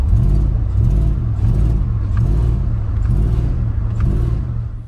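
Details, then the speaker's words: Dodge Dakota R/T V8 project truck revving: deep throaty rumble swells and falls back smoothly, sounding healthy apart from a noted exhaust leak; a separate rattle, possibly a sway bar end link, is suspected elsewhere. "besides like exhaust leak though she sounds good like listen"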